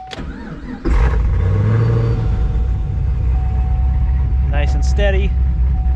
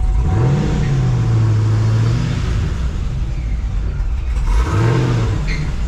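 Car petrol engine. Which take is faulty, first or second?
second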